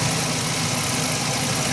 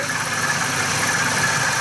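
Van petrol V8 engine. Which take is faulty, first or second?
second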